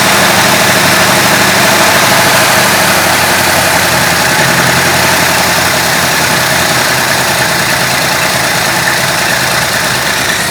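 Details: Stock 390 FE big-block V8 in a 1966 Ford Country Sedan, rebuilt with performance cam and used heads, held slightly above idle; loud, lazy, slightly uneven lumpy idle; owner suspects retarded ignition timing.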